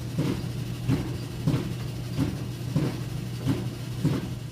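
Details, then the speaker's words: Roper dryer made by Whirlpool, repaired before, making a loud funny noise: steady low motor hum with a heavy thump roughly every two-thirds of a second from the drum; cause not yet known before teardown. "hello youtube this is a pop stone company and i got a dryer here just making kind of a funny noise i'm going to take it apart and see what's going on"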